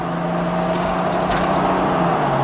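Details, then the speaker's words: Toyota Land Cruiser HDJ81 automatic merging onto interstate at full throttle: steady engine drone, pitch drops smoothly on upshift with no flare or slip; normal shifting, though slipping when hot suspected from a solenoid. "We're about to get on the interstate here. Give it some beans. So you see it has no problem under full load"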